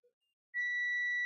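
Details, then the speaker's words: Wyze Cam v2 no-power repair: the multimeter gives a steady unbroken continuity beep across small capacitors, so they read shorted. An IC they lead to is suspected of being the real short. "Okay, there we go again. This is shorted. Shorted. Shorted. And the two small ones are also shorted."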